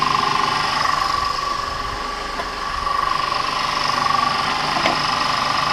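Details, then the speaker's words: Audi 3.2L FSI V6 first start after upper timing chain tensioner replacement: even settled idle with faint steady whine, no chain rattle or clatter; sounds healthy. "and now you could try to start it sounds good"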